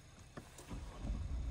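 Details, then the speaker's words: Mahindra Scorpio-N diesel, cold start at about -20°C overnight after heavy snow in Lahaul Valley, heater element cycled first: low rumble builds after a brief crank and settles to a steady idle, starting first time; normal cold start. "एक ही बार में start हो गया"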